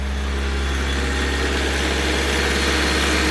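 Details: 36-year-old AE86 Corolla Levin started: a steady, even idle with a smooth low beat and no misses or stumbles. The engine is running cleanly.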